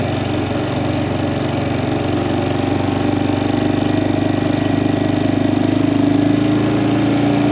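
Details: Kawasaki Prairie 400 ATV after engine rebuild, riding test: single cylinder pulls smoothly, steady beat with pitch climbing gently with speed, no knocks or misses; healthy engine, float still needs adjusting.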